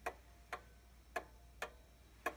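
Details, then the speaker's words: 1800s clock after chime adjustment and levelling runs better, but crisp ticks still have unequal spacing with one gap noticeably longer, a pause showing it is still out of beat; the verge is to be bent slightly. "you can hear it running better than it was you can still hear that pause so I'm going to bend this verge just a little bit"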